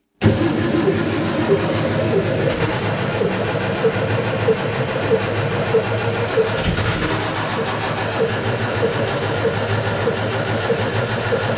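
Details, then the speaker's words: Scrapyard Fiat 600 with confirmed spark, cranked after a squirt of starting fluid: ragged cranking with half-catches that never run. It's suspected of not drawing fuel up, so the engine is starved. "well it's certainly trying to fire isn't it we're very nearly there aren't we didn't quite right yet"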